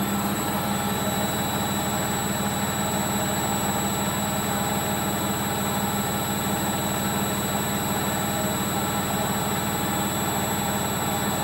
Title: Logik L712WM13 Cottons Intensive 40 Final Spin With Bad Bearings